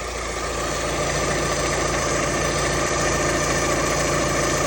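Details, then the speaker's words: Alfa Romeo Twin Spark engine after replacing the SKF balance belt tensioner, which caused knocking/tapping, with a different make: idles evenly with a steady hum, tensioner holding still, no knocking or tapping. "Nice and still, it's not jumping around anywhere. Obviously it's not knocking."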